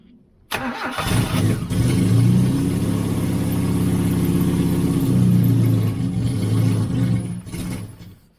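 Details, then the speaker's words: 1989 Austin Mini 998cc A-series, sat three years. Runs rough, speed rising and sagging, then dies, with no knocks. Probably struggling for fuel. "I think it's struggling for fuel"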